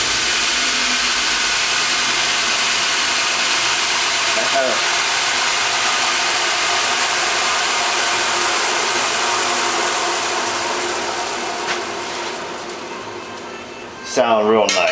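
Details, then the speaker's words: Wilton 6" x 48" belt sander just restarted after replacing its bearings, belt reversed: smooth, even high-pitched belt rush with no rumble, knock or squeal; bearings sound quiet and healthy. "oh Bo I'm enjoying that sound already but it sound pretty nice"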